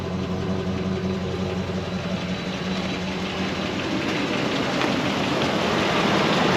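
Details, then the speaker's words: 2005 Dodge Ram 2500 Laramie 4x4, 5.7 Hemi on LPG, after throttle body clean: light, fairly regular ticking over steady V8 idle, picking up slightly with revs; owner hopes it is the exhaust manifold, source unconfirmed. "Hope that's just that manifold. Maybe that's just a noise. I don't know."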